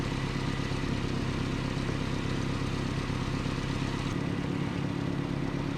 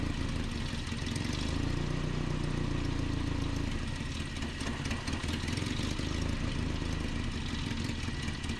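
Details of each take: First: 1988 Nissan D21 truck, 2.4L Z24 engine, after rough, surging idle diagnosis and vacuum line repair: even idle with a steady low thrum, no stumbling or hunting; smooth and settled. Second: 1988 Nissan D21 truck, 2.4L Z24 petrol engine, at idle. The speed rises and sags every few seconds, a rough surging idle, with a vacuum line suspected. Cause not confirmed.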